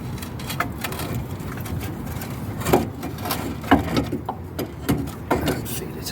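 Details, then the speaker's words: Volvo XC90 (P2) McPherson strut removed: uneven dry crunches and clicks as the top mount bearing is turned by hand. The bearing is worn, and the shock absorber is also worn out. "You can hear the bearing on that, that's not a great look."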